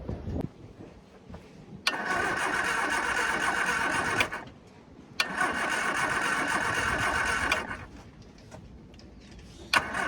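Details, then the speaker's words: Long-unused Scamp, battery just fitted: steady starter churn in two bursts of a few seconds each with no firing; cranks but won't start. It later fired once a boost pack was added; owner suspects weak battery, coil and spark plugs. "go no signs of life yet"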